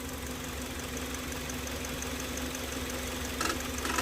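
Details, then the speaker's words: Kia Sorento idling, quiet until water is poured on the accessory belts: a thin rising squeal from the wet belts. Complaint is noise and a battery light when driven in rain or with a wet engine. "mas só quando a gente pega água e dá para o carro beber né Vamos jogar água aqui em cima das Correias"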